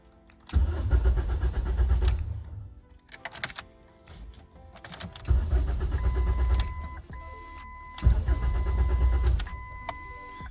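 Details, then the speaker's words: Ford Focus being torn down for a Fusion 2.5L engine swap, 15 A fuel pump fuse No. 12 pulled: three bursts of steady starter cranking, engine never catches, dash chimes between tries; crank no start, no fuel pump operation heard. "It won't even start with the fuel pump removed. That's good. Let's see, does it even turn on? No, I don't even hear the fuel pump even popping on."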